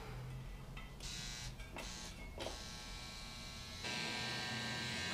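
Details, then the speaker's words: Helios tattoo machine running at 9 volts. A quiet, dense, smooth electric buzz with a short pause midway and no rattle; quieter than a Cheyenne PEN, running normally. "очень тихо тише чем шаген даже не то что даже вот но на звук как то знаете ну плотнее вот"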